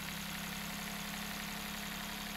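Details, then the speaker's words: Daihatsu with low power: number three coil showed a bad secondary waveform and was moved to cylinder one; pulling it makes the steady idle turn rough and shaky, so that cylinder was firing. The coil-pull test contradicted the waveform finding. "look at that sound was changed and engine is shaking because of this coil is contributing to the combustion"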